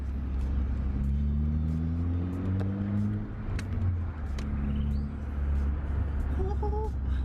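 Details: Ford Fiesta Zetec S on its first drive after repairs, with spongy brakes and ABS and traction control lights on: a small petrol engine pulling cleanly through the gears with an even exhaust note. Engine and exhaust are normal.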